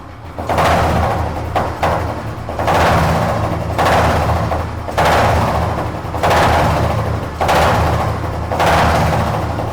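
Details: Old Royal Enfield Electra after a general service, with a metal flap added to the exhaust for the old beat and the white smoke fixed: a low, steady single-cylinder thump with throttle blips about once a second, clean and healthy.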